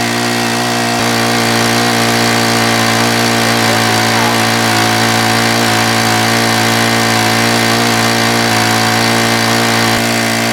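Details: Honda WX10 water pump small four-stroke petrol engine, primed and restarted: steady even drone with no misses or surging; running smoothly and pumping.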